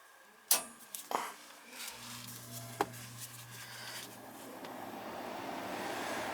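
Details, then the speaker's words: AC air handler after replacing the burnt main control board, wires hooked up the same: a few relay clicks, then steady low hum and growing air rush as the unit fires up; normal startup. "Houston, we have ignition."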